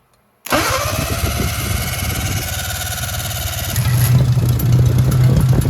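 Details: 1957 Hercules Power flathead four-cylinder (tag model ZXB, 2-5/8 x 3) with magneto, restarted on choke after refilling fuel filter: fires straight away into steady, even beat, no knocks or misses; normal running.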